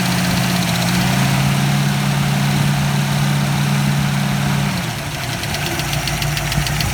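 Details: Ford 302 V8 at even idle with a light rapid tick, about four a second, dipping near the end; lifter tick suspected, not confirmed.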